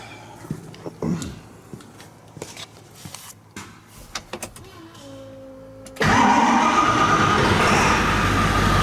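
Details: 2002 Ford 7.3 Powerstroke diesel after shimming all worn injectors, first start: clatter then loud idle with uneven lope; rough idle, misfire, owner suspects one injector still not firing properly, to warm up and recheck.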